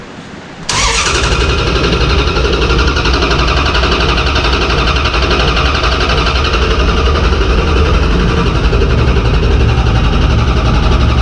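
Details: Mopar V8 race car cranked on the starter without firing after an oil change, to build oil pressure: a steady, even whir with no grinding or dragging. The starter was only barely warm; cranking is healthy.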